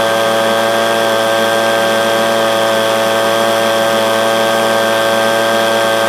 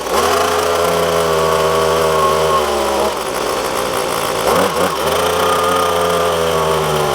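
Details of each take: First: Echo PB250LN handheld blower, warm, that bogged at full throttle at operating temperature, after replacing air filter, fuel filter and spark plug: steady high-pitched two-stroke scream at full throttle without sagging or bogging, running clean. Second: Echo PB250LN handheld two-stroke blower, full tank, starts and runs fine until it reaches operating temperature, then bogs and cuts out past about half throttle; steady buzz stumbles and sags in pitch when squeezed further. Tune-up kit ordered as the fix.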